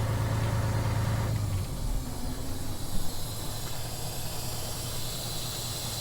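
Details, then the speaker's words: Western Star tandem dump truck with everything shut off: a steady soft hiss in the cab under the dash from a compressed-air leak; said to be a tarp valve underneath, as it stops when the tarp is back. "the air leak in the cab is not a huge issue at all it's just been frustrating because we've been trying to get it fixed for so long"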